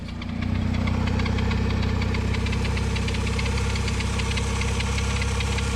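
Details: 1991 Honda Prelude Si petrol engine idling with AC on: fast tick about four a second with a faint steady whine; idle revs up and down, belt noises suspected after AC belt work; cause unconfirmed.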